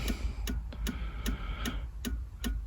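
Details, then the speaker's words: 1999 Honda Odyssey with HVAC control module lights blinking and blend doors not moving: sharp even clicks about two and a half a second over a low hum, a relay cycling inside the fuse box; cause suspected, not confirmed. "I can feel it clicking so there must be a relay inside of this somehow I don't see an outside relaying but that must be be starting to turn on that relay"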